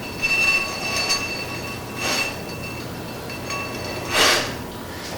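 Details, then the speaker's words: Honda Rancher 420 ATV rear drum brake after replacement with brand-new OEM shoes, drum hand-spun: faint scraping hiss with thin ringing, normal light grinding as the new shoes wear in; brake stops the wheel instantly. "So you'll notice here, if you listen carefully, a little bit of grinding kind of noise. That's normal. That's just the brake shoes started to wear in. They're brand new."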